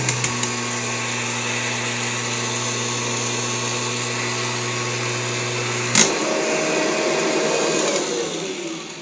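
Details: Kirby Generation 4 80th Anniversary Edition vacuum (1996) after its suction fan was replaced, safety switch held with a screwdriver: a steady motor hum with fan whine for six seconds, then a click as it switches off and the motor winds down smoothly; normal running.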